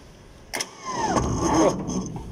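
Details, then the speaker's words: 500 kVA generator, hard starting, fuel being pumped while starting: after a clunk, slow heavy crank for about a second then a rougher rising run; stiff, won't turn freely. Loose battery terminal found. "ang tigas. Parang matigas ah. Ayaw niya mapaikot."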